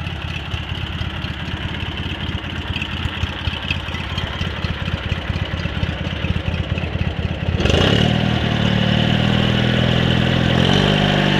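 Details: Cub Cadet 782 garden tractor fitted with 42-inch snowblower: steady single-cylinder chug at idle, then note lifts and smooths as revs rise; even firing, no knocks; normal healthy running.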